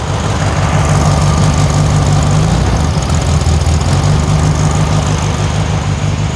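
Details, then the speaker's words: 1972 VW Super Beetle air-cooled engine warming up after valve adjustment on one side fixed a clanking swivel-foot rocker: loud, steady, even low thrum with no clanking or ticking; normal idle. "I'm just going to let it warm up and see if anything weird happens and if nothing weird happens I'll probably dialogue again and uh we'll go on a test drive"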